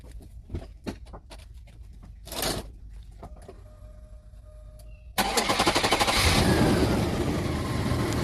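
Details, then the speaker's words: Chevy S-10 4.3 Vortec after starter replacement and battery reconnect: quiet, then cranks and catches about five seconds in with slight hesitation, settling into a steady even run; normal start, sounds good. "It sounds good. >> Sounds good. >> I'm satisfied."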